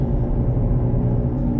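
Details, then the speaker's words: 2006 Pontiac G6 while driving: a steady low growl and drone under road noise that gets louder when turning toward the passenger side and quieter toward the driver side; the front passenger wheel bearing is suspected to be going bad, not confirmed. "So I think, you have to ask Google or a mechanic, but I think it's the front passenger side wheel bearing that is going bad."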